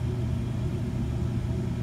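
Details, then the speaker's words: York Diamond 80 gas furnace on a no-heat call, rusty but working: a steady, even low rumble in heat with no knocks, rattles or squeals. It is operating normally; the fault was a bad thermostat, not the furnace. "And this was not a furnace issue. We had a bad thermostat. Furnace is fine. Got some rust on it, but she's still kicking."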